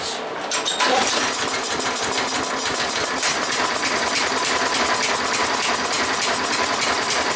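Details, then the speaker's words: Toro lawn mower small engine, seeming to run faster than normal: fast, uneven chuffing puffs about three per second over the engine rattle; compression heard escaping through a blown head gasket. "I can hear it coming through the head gasket."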